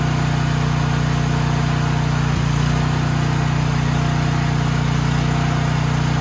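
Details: Troy-Bilt XP 7000 W generator, Briggs & Stratton 21 hp 420 cc, running with main breaker on: steady constant-speed drone, smooth low beat, no misses or knocks; engine normal, though no power output was later traced to a faulty AVR.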